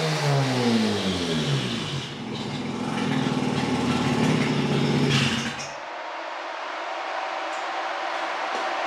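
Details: Mazda RX-8 rotary cranks fast and steadily for about six seconds without catching. The cranking tone sags and shifts as the throttle is pressed, bogging it down. Owner suspects plugs or insufficient fuel; hard cranking, no start.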